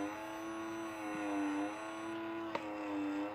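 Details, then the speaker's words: Alfa Romeo GT 2.0 with bonnet open and lights on: steady, unbroken mid-pitched electric buzz from behind the headlight lid; the automatic headlight leveling motor runs nonstop and is broken. "behind the lid here there is the auto adjusting headlight motor and that is broken and I can't repair it"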